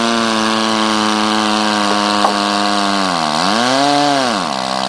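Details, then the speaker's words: Powerwise ink pump air motor after rebuild with 1002 spares kit, end cap tightened for better compression: clean, steady whirring that briefly sags then climbs and holds, normal running after repair. "the motor is running running real well we've got a real good repair on this motor"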